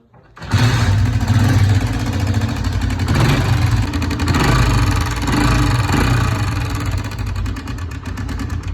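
Bike starts and idles with a rough, uneven low chatter and slightly clattery top end; there's a noise present, but the cause isn't clear.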